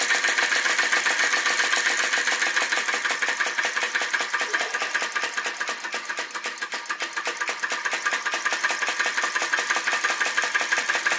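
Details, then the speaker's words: Retro VE-01 crossbeam vacuum engine with added drive pulley, belt-driving a heavier bearing-mounted DIY Baker fan: fast, slightly uneven clatter about one and a half beats a second, slowing a little. Labouring under load; fine adjustments matter. "it's working hard you can hear it working hard very fine adjustments make such a big difference"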